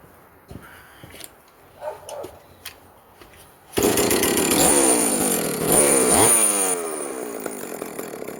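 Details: Vintage Jonsereds 70E two-stroke chainsaw, first run after major cleaning and fitting an unknown cooling fan; smoking from oil put down the cylinder; after quiet seconds it fires, revs up and eases back cleanly, no misfire or stumble. Normal running.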